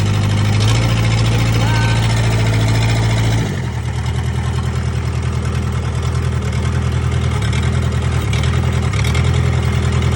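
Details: 1998 Gehl skid steer, 4-cylinder Kubota diesel, first start after a no-start, fuel pump rebuild, lines bled and glow plugs used. It catches and settles from a high, loud run into an even, steady low idle clatter without misses. Normal running.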